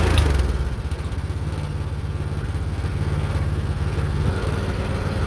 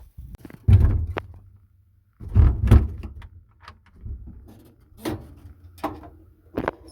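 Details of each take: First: Meec SN210 snowblower small single-cylinder engine after cleaning and reassembly, runs with uneven hunting beat at low speed, never picking up; throttle linkage won't stay open, owner suspects a part was reinstalled in the wrong direction. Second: Meec SN210 snowblower, previously sputtering and dying on its own, after fuel tank screw fix: several uneven pulls, then catches and holds a steady, even drone; starts and runs normally.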